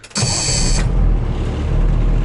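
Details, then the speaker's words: 1986 Ford dump truck, 36 years old, started in neutral: a short crank, then it catches at once and settles into a strong, even diesel rumble; a clean, easy start with good air pressure. "well that started too easy at all wow she runs good though"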